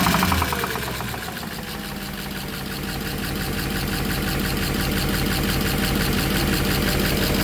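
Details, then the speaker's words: Audi A8 3.7 at idle: sharp, fast, even metallic knocking about four per second, loud at the top of the engine, striking up into the cover; engine knock. "Так, прямо отдает удары в эту крышку."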